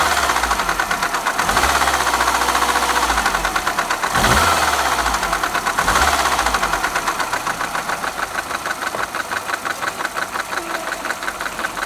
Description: This is an example of a noisy timing chain on the Peugeot VTi engine which is also fitted to BMW Mini cars